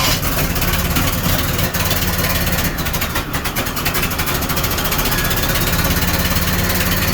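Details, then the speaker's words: Chevy S10 street rod with turbo, just started after crank attempts: loud uneven idle, lumpy wavering beat and hunting; rough running, owner suspects one carb running rich and the other lean. "wow what i can hear one carb is running rich one carb or one carbs running good i think the other one's running lean i have a look into that but at least you came to life"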